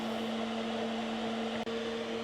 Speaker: God, that fan is loud. But I'm sure it'll keep things cool.